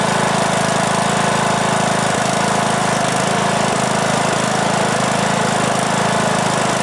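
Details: 2003 Simplicity Regent lawn tractor, Briggs & Stratton single-cylinder, stored for years, after new ignition coil and carburetor; loud steady beat at constant speed, even firing, no misses or knocks, runs okay though blowing much smoke.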